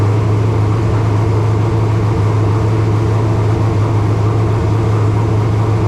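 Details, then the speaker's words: Racecar V8, first fire of 2025 after engine install, water filled: steady deep drone at a fast idle that won't come down; no tach so rpm unknown, only oil pressure and water temp gauges; idling high, no major problems seen. "uh it's idled up a little bit thing was I don't have a tack so I don't know exactly how many RPMs it was turning"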